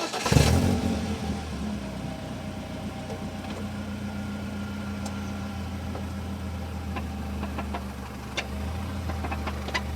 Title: Rattle noise 2000 BMW 318 Ci